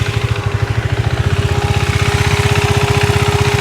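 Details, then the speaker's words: KTM 390 Duke single-cylinder at idle, aged radiator fan with lost power/rpm replaced by a new fan, sensor also changed, fan switched on when hot; steady thumping idle with smooth even fan hum, new fan sounds normal. "New radiator fan வந்து install பண்ணிருக்கேன். இதோட sound வந்து எப்படி கேக்குது அப்படின்றத வந்து check பண்ணி பார்க்கலாம்."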